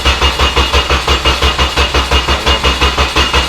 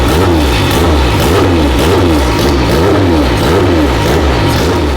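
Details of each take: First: 2000 Honda Civic SI, just bought abandoned, cranking: steady starter churn at about three turns a second that never catches; ECU lost power on cranking and saw no RPM, caused by a missing engine ground. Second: Abandoned Honda after fixing a missing engine ground and a blown ignition coil fuse, fuel components changed, fuel pressure guessed, light tuning: revs up and down cleanly with raspy, loose exhaust rattle; healthy revving.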